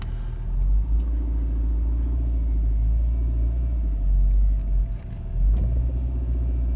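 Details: 1996 Peugeot 306 with driveability problems, pulling off in reverse and first gear: engine rumble dips then a sharp knock, wheel and steering wheel moving; broken front driveshaft.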